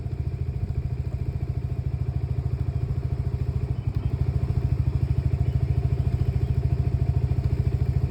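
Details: Lexmoto Nexus 125cc single-cylinder at idle: a low thump of about 3.5 beats a second with uneven, dropping beats; a misfire, with faulty fuel-to-air mixture readings and a logged misfire count during the misfires.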